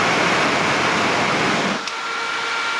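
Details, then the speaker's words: VW T4 Caravelle Syncro new radiator fan, bench tested after grinding off plastic that rubbed and melted against the shroud ring: strong even rush of air, no scraping or ticking, winds down smoothly; fan spins freely. "Now it runs quite nice. That's plastic not touched together anymore. Yeah, now it's working."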